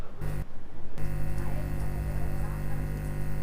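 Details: Amplifier with 12-0-12 transformer dual supply: steady low mains hum from a ground loop when the 12 V regulator supply is grounded at the capacitors' centre point; feeding the regulator separately cures it.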